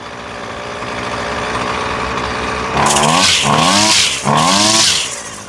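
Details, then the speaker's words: Husqvarna two-stroke trimmer after a carburetor replacement, with idle and high-speed screws adjusted by ear: steady, even idle, then three clean revs climbing and dropping crisply without stumbling; running properly. "And that sounds really nice."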